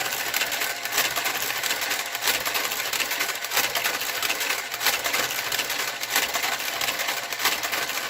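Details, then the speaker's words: Knitting machine with garter carriage knitting a sock: scratchy clacking carriage passes about every second with small pops, normal in the first three or four rows and then disappearing. "I panic every time I hear the popping noise but I've learned what it"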